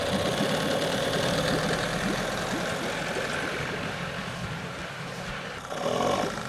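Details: Craigslist outboard motor after a carburetor cleaning: uneven, lumpy idle with loose irregular knocks about three a second that never settle; owner suspects the idle and mixture set screws need adjusting. Cause unconfirmed.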